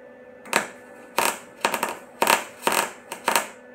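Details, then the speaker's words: MIG welder arc crackling with irregular pops and quiet gaps, wire barely coming out and burning back into the tip because wire feed speed is too low; turning the wire speed up fixes it. "so you hear that sound and it's it's popping it cuz it's trying I think I can I think I can't his not there yup turn the wire speed feet up a little bit more"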